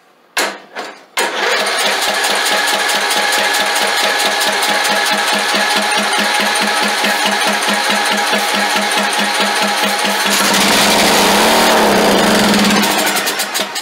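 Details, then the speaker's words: Craftsman LT2000 lawn tractor engine, not cranked for probably years. It cranks a few times, catches and races at a steady high speed without settling to idle. The frozen throttle plate hung open and the governor was seized. "Oh, the throttle shaft, the throttle plate was completely froze. That's one reason it wouldn't crank. It was closed. And then when it did crank, it hung open."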